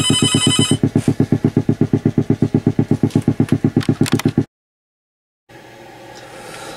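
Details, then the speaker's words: 1969 Fender Bandmaster amp after component changes: held guitar tone pulses quickly and evenly through the tremolo with no clicks between pulses; the earlier tremolo ticking is gone. "as you can hear the ticking is now gone and you know there's a lot of things that can cause the tremolo to tick"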